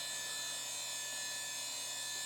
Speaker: Our drive is spinning, sounds good. Let's see if the system comes around.